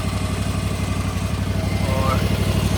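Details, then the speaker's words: Gravely ZT/HD 44 hydro mower engine warming up at idle before oil and filter change, after fan and belt replacement and new battery; steady low thrum about four pulses a second, no knocks or misses, normal. "I'm just warming up the engine now. We're gonna go do the oil change and the filter, and we should be good."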